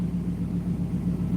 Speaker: oh, that sound, I love it. Even though it doesn't come through the microphone as good as it comes through when you are there.